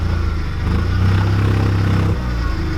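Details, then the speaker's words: Chrysler TC 16v under restoration, now driving with dragging brakes and janky fuel pump wiring: engine pulls with an uneven, stumbling beat, not running on all cylinders; tune-up needed. "my for my friends said this thing doesn't sound he's running on all cylinders so it needs a tune-up of sorts"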